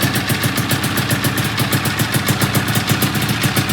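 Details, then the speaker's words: 1997 XC 700 twin two-stroke with early twin pipes, SLP jetting, back on the original CDI; harsh uneven popping idle at three to four beats a second with one cylinder misfiring and flooding; owner suspects a stuck choke. "That idle, it sounds like absolute dog shit, and this is super cool compared to that one."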